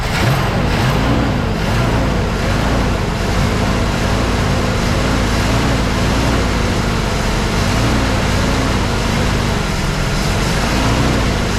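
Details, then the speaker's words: 1983 Mercury Capri RS first start after sitting since 2013: low engine drone hunting slowly every second or two, idle not holding steady; no knocking or smoke. Rough idle after long storage, owner unsure if choke-related. "sounds absolutely fantastic i mean we got a couple smells but that's normal from sitting for a little while uh she's having a little bit of a hard time idling"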